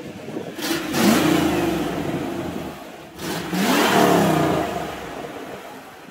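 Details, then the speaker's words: Supercharged Ford SVT Lightning V8 after a loose spark plug was found and fixed. Two blips from idle, revving up and settling smoothly; the misfire has totally cleared up. "it's totally cleared up it doesn't misfire anymore"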